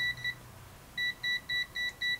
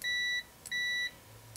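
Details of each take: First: AstroAI TRMS multimeter (M2KOR/M4KOR) on DC 10 A range, current raised to about 10 A: two short beeps, a pause, then six quick even beeps about four a second; current overload warning. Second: AstroAI low-cost TRMS multimeter (M2KOR/M4KOR), which defaults to continuity mode: clean high steady beeps, each under half a second, as the probes touch; short response. Continuity beep, circuit closed.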